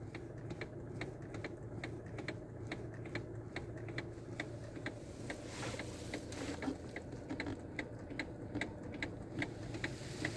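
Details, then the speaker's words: 2019 Jeep Compass diesel, parked, with steady sharp clicking about three times a second as the steering wheel turns; the cause is a worn bushing and a loose bearing inside the steering column. "vou mostrar para vocês um barulho que dá na direção uma bucha da coluna ouve só como é o barulho"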